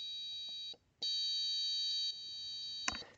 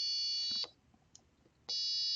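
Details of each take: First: it's kind of fluttering a little bit because it was on the borderline of the range that we have Second: Four-button analog-input piezo tone circuit with two buttons pressed together: a steady high tone cuts off and returns as one single note, with no second pitch mixed in.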